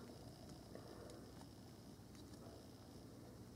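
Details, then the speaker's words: Panasonic SDX1 camcorder's own microphone picks up faint, irregular small ticks over a quiet hiss when zooming in quiet scenes, still present with OIS removed; the autofocus motor is the source. "it's bother me is that when I zoom in there's an audible ticking noise that appears in quiet scenes"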